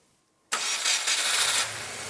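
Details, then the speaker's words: Crashed Subaru WRX started after checking fuel pressure; silence, then it catches instantly, flares up in a loud rush and settles toward a steady idle; clean, healthy start. ">> It runs. It sounds good. It works, but now we have to work out how to sell it."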